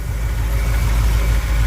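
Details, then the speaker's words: 1959 Chevy El Camino after head removal for overheating (suspected head gasket or cracked head), warming up, water from exhaust: deep, even idle rumble with no knocks, earlier noise gone; normal idle, though oil pressure drops as it warms. "Yeah, she quieted up, too. She smoothed out and was all quiet"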